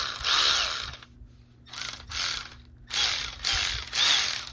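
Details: Milwaukee M12 (non-Fuel) cordless ratchet test run after rebuild with new crankshaft, drive pin, bushing and C-clip and a rebuilt planetary gear set: five short bursts of fast, even ratcheting with clean starts and stops; runs smoothly.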